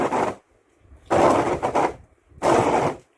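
Each sweep gives a harsh, stuttering rasp across the glass, stopping between strokes; an aged blade chattering and due for replacement.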